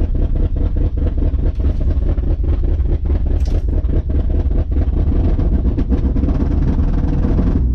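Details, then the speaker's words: 1980 Ford Bronco first running after 18 months, carburetor primed, in snow: low heavy rumbling idle with slightly uneven pulse; owner suspects choke stuck on, also mentions stuck float. Cause not confirmed. "see if we can't make this thing stay a little bit more consistently running so we can get it out of the snow bank there you go check it out brown cow lives I think the choke stuck on it"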